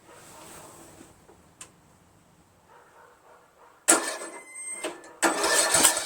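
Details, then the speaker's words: Craftsman lawn tractor after rebuild with carburetor, manifold, linkages, muffler and flywheel reinstalled, cranked with choke on; two ragged cranking bursts with uneven pops that never catch. Won't start; owner suspects timing is off. "well we saw some sputtering over there I'm feeling the timings off"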